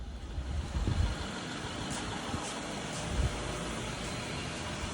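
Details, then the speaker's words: BMW 750 with N63 V8 after fixing a misfire (drivetrain malfunction light came on while passing at 40–50 mph; a $20 part was the cause): steady, even low idle rumble with no stumble or skipped beats, normal idle. "she's running good now"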